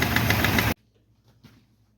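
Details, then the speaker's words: 1951 Chevy engine at its first startup: light, quick valve tick over an uneven idle, located by holding a pipe to the valve cover; number 6 valve suspected, valve adjustment planned. "You can clearly hear the ticking sound. Put a piece of pipe up to the valve cover. I'm pretty sure it's number 6."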